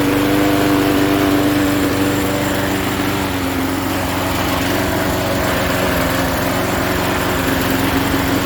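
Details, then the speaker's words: 1988 Jacobsen lawn mower with Briggs & Stratton 3.5 hp engine, started after fresh gas, pull-start spring broken: steady, even buzz at constant speed with no surging or misses; runs smoothly and healthy. "alrighty i'd say that's a success this thing runs good"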